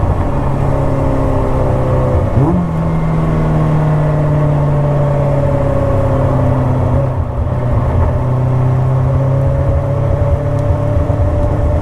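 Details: Engine revving with slightly uneven, wavering note and irregular stumbles under the drone; misfire, owner suspects a coolant temperature issue, not confirmed.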